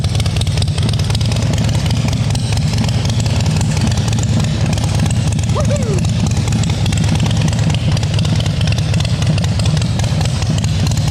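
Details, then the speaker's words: 2010 Harley-Davidson Softail Standard with S&S Twin Cam engine and Blow Performance exhaust, first start after rebuild on third attempt, after a tiny aluminium shave fixed a no-start; loud, deep, lumpy V-twin idle, steady rhythm, no misses or rattles: normal idle. "I don't know if this is going to equate, but it's loud."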